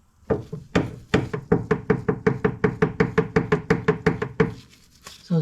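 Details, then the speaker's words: 1984 Bertone X1/9, front tie rod rocked by hand: sharp hollow clunks about three a second from a disintegrated steering rack bushing, loose on this side but not the driver's side; bumps transmit to the steering wheel. Rack must come out for rebuild. "loose on this side it's not loose on the driver's side so what happens is when you hit a bump you can feel it [Music] sorry when you hit a bump it transfers it into the car to the steering wheel and you can hear it"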